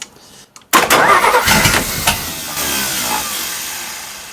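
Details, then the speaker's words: 1941 Chrysler flathead six coupe, 87-octane fuel, no exhaust system fitted (bare pipe), owner doubts the old positive-ground ignition: starter engages, then uneven churning with a couple of cylinders firing that fades without catching; cranks but no start. "I just heard something. Uh, want to caution you. There's no exhaust on this. Just a uh exhaust pipe. I heard a couple uh cylinders go."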